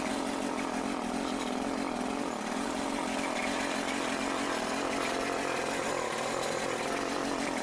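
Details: Troy-Bilt TB554 lawn edger's small engine just started after belt replacement (35.75-inch belt), buzzing at a steady high pitch with a constant, even drone and no misfires or rattles; running fine.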